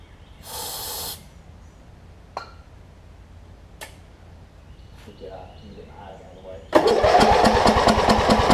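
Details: Wizard (Craftsman) riding mower with a worn-out old carb and a hit-and-miss starter solenoid, after carb cleaner spray: hiss of spray, then steady cranking at about 3.5 turns a second, never catches; suspected fouled plug or sheared flywheel key.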